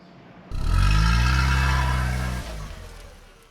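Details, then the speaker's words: Zetec-engined MK1 Fiesta converted to injection, after fuel tank adaptation: tank now deathly silent, but one quick throttle blip gives a loud, blatty exhaust, noisier than it should be; exhaust leak, welding planned. "Once the engine's running, well, obviously I can't hear it because over the engine, but that is deathly silent compared to what it was, although the exhaust makes more noise than it should do."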